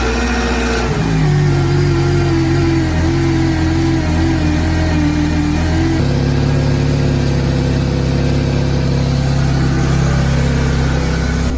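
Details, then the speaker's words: Cheap Mercedes-Benz coupe after removing a broken intake pipe with a dead bird in it. Idle is slightly uneven, then steadier halfway through but not smooth, and the same fault code remains plus another; uneven idle. "it's kind of evening out but we still have the same code"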